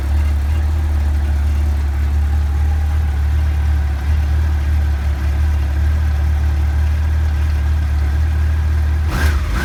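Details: 1989 Honda CBR1000F fitted with 2014 CBR1000RR stick coils, after reseating coils pushed off plugs by Ford PCV grommets: deep even four-cylinder drone, clean blips, no stumbles; misfire cured, normal running.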